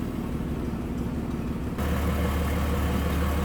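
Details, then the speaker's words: 1946 Plymouth Special De Luxe, inline six, still 6-volt system, heard at the front with hood open: low, steady idle rumble with even beat, no knocks or misses; normal smooth idle. "Alright, look at how smooth this is running. Now this is still a 6-volt system."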